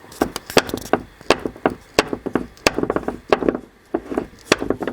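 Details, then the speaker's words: Opel Astra H passenger door, worn check strap recorded with the mic held close: irregular dry creaks and crunchy clicks, several per second as the door moves; owner says the cap rubs in the housing and creaks worse once warmed up. "ну я гадаю що ви зрозуміли як він хрякає"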